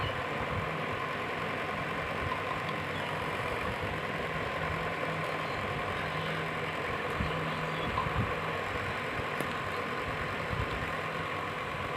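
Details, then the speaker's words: Table fan after its body was realigned and firmly retightened: a quiet, even whir with a steady low hum and no knocking or rattle; the sound is completely fixed and running is normal. "आवाज एकदम change हो गया। देखिए एकदम बिल्कुल सही हो गया है इसका आवाज।"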